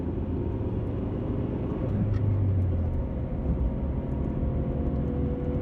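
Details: 1991 Honda Accord CB7 driven through corners: steady road roar with a faint hum swelling through the turns; owner suspects a bad wheel bearing, unconfirmed.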